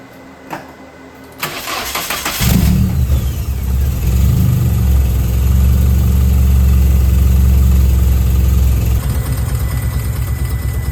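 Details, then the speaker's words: 1990 Nissan 240SX KA24E at start after new spark plugs, injector seals, throttle body cleaning and cold air intake: fans whir, engine catches and settles to a smooth, even idle with deep exhaust rumble, rough idle fixed. "compared to what it was in the first video it's pretty much very very smooth now"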